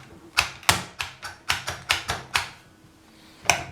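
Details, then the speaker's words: Repaired non-working electric hedge trimmer, after fix, cover refitted: about ten crisp, clean clicks in a quiet room as the safety lock and trigger switch are worked; normal switch operation. "Safety Lock and you can hear the switch clicking away there"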